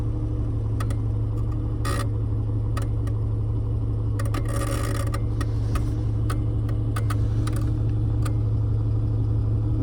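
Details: 1995 Jeep XJ Cherokee at steady idle: sharp, uneven, intermittent rapid clicking from behind the dash, sounding like electrical arcing; a bad relay rapidly switching on and off.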